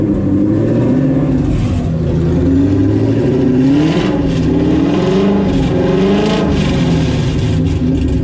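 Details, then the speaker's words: Mustang fox body, Coyote V8 swap with Whipple supercharger, first start on base startup tune: crisp V8 idle with clear humming blower whine rising and falling with each throttle blip; healthy supercharger sound. "It actually sounds really crisp. I love that blower whine, dude. Oh my God. Corey, how about that blower whine though? It just kind of hums, you know?"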